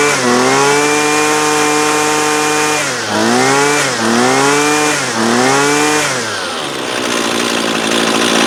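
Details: Husqvarna 128LD 28cc two-stroke trimmer, warmed up, after low-side carb adjustment (previously wouldn't idle even with choke open): revs crisply and falls back several times, brief stumble then picks up cleanly; running well.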